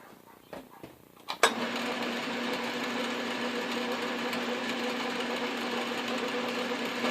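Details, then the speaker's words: Lathe turning the South Bend 9x24 pulley after it was cooled to lock back onto the arbor: after a few knocks, a steady even hiss and hum with no slipping; normal machining. "that that's so much better when it's not moving and slipping on the shaft"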